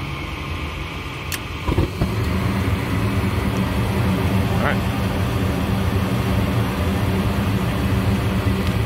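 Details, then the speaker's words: Goodman gas furnace after clearing a clogged inducer port, status light solid red, flame sensor glowing: a soft whoosh and click, then a steady, even burner roar with low hum. Normal burner ignition. "And we should expect our burners to turn on here soon."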